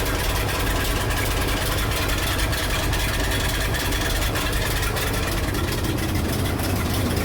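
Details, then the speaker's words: 1976 Ford F-600 dump truck V8 with a new Holley carburetor, cold with the choke just starting to open and smoking heavily: a deep, steady idle with an even rumble and no knocks, misses or hunting; the carb still needs adjusting. "Dude, other than the smoke, the truck's actually running pretty good. It sounds decently healthy."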